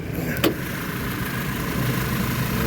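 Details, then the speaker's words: 2010 Audi A4 2.0T four-cylinder, 2 owners, new water pump, just started, heard at the engine bay. Steady even idle hum with no ticks, valve tick or smoke; AC blower audible. Normal healthy idle. "I did just start it up so we're here running no ticks no smoke"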